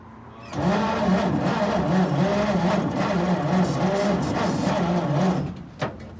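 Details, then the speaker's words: 1941 Chevy pickup, 40 years in a junkyard, seized piston freed, briefly ran: sluggish uneven cranking about four pulses a second for five seconds, no catch; battery dying, jump start needed. "Battery's That dying thing again. and jump."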